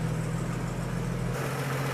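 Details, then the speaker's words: 1950 Chevy 3600 truck, old six, idling from cold after new radiator hoses and coolant, with no choke and the thermostat not yet open. Deep, steady low rumble with an even beat and no misses or knocks. Runs smoothly. "God, it just runs so good. That's no choke, no nothing."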